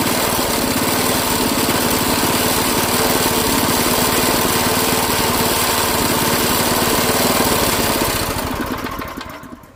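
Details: Craftsman 5 hp tiller small engine after quick carburetor clean, running on more than a quarter choke: fast, rough uneven beat then dies away; still stumbling from partial carburetor clog, next step mechanic-in-a-bottle treatment.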